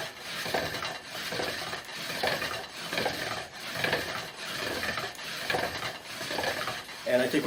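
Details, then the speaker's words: Hand pump drill spinning a spindle on a yucca fireboard: steady, even rasping strokes a little under a second apart, smooth and biting well, board starting to smoke; normal drill friction. "it's fairly smooth kind of proud of myself for this one so we're getting the yucca warmed up starting to smoke"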